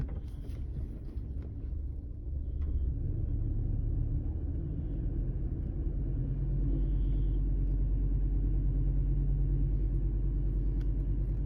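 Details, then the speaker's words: 2005 Chevy Colorado 3.5 with 330,000 miles, P0300 codes, over 16,000 misfires logged on cylinder three; deep uneven rumble stumbling about three times a second when loaded, misfire under load. "one two yep number three looks pretty terrible you're gonna have to get out under the hood here do a little bit of checking"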